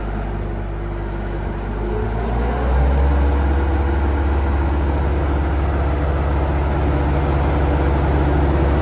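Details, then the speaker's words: Bobcat 853 driving a hydraulic FMC GM-72 Sidewinder 6' brush hog on its first test run: engine and hydraulics climb to full throttle, then a steady deep drone with no knocks or surging. Running normally. "it's smooth. If anything comes off, it'll take my legs."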